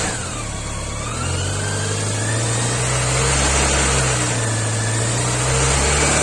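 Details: BMW K 1100 motorcycle engine idles evenly, then revs up and back with pitch following the throttle; some noise is present but its source is unclear.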